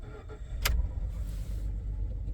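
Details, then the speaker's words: 2009-14 Ford F150 after column-to-console shifter conversion: low, uneven rumble that sags and surges, engine running rough and close to stalling with check engine light on. "we're going to disregard that the truck sounds like it's dying and it has a check engine light uh it's because it's dying and it has a check engine light"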